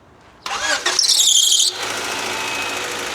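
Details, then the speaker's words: 1991 Honda Accord EX-R at startup: engine catches with a sharp high squeal for about a second, then runs evenly; loose power steering and alternator belts slipping, to be tightened until the squeal is gone. "So, I'm going to go ahead and loosen the power steering, start it, if it still squeals, tighten it back up a few twists, and then do the same on the alternator until hopefully this damn squealing is gone."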